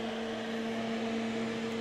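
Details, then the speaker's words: Crest Audio V900 PA amplifier on 240 V, after a check of the dusty interior and with no DC found on the outputs: loud, steady rushing air over a constant hum from a noisy cooling fan; the amplifier otherwise works. "Pops out of protection. I did already test the outputs for DC and nothing. That's a noisy fan."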